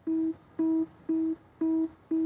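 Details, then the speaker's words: Mahindra Scorpio N BS6 diesel, ignition switched on, in cabin: five even mid-pitched beeps with instrument cluster showing the diesel particulate filter Regen Required warning, needing DPF regeneration/reset. "यह देख लो यह चीज आपको दिखाई दे रही है ना यह है रीजन रिक्वायर्ड वाला सिंबल यह सिर दर्दी है डीजल वेरिएंट की खास करके पेट्रोल में यह प्रॉब्लम नहीं आती"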